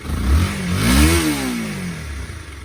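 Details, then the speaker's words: Honda CBR250R left in a yard 5 years, fresh fuel and a generic battery, first start and warming up, likely stale gas still in it: clean throttle blip rising and falling back to idle with no misses or popping; runs and idles. "All right, runs idles. That's awesome. Sweet."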